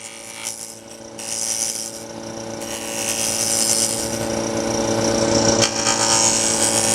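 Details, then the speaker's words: Wood lathe turning with steady motor hum and a nice even hissing gouge cut, no chatter or vibration from pushing too hard: smooth even cut. "Sound is important. I don't know if you hear, it's a nice even zzz."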